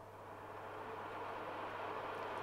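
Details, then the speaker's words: Cooker oven fan motor on a voltage regulator turned up to normal rpm: steady motor hum with a smooth rush of air, rising slightly as the fan reaches normal speed, moving paper telltales; healthy airflow. "the air here should be flowing and making these actually move in the air so i'm going to turn the motor up to its normal rpm"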